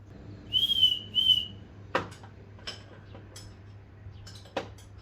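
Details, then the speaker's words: Toyota 7M engine turned by hand during leak-down test setup: two short high whistles as compression pushes air out, stopping as the piston reaches top dead centre. "see if this works like a wee whistle um i'll crank it up and it should stop whistling when i get to cdc"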